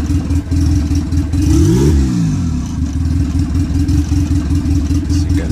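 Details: D15 Honda Civic on a Speeduino standalone ECU with a modified generic basemap, just started: a steady low rumble with a brief rev rise and fall, settling back to an even idle. It runs cleanly.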